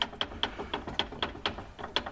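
Sharp light clicks about four per second as the axle is rotated by hand; a mechanical tick from the front diff, cause unconfirmed.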